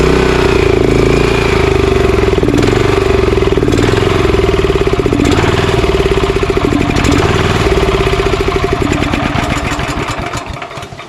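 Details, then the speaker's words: Honda GX340 11HP engine on a commercial pressure washer, previously seized and freed, started on choke after JB Weld carburetor repair that leaks: single-cylinder putter wavering in pace and loudness, then winding down; mild idle surge, likely from a not-completely-clean carburetor. "aside from this thing leaking um this engine runs pretty good uh obviously you heard it surging a little bit sometimes with uh machines like this you it will surge a little bit if the carburetor is not completely clean"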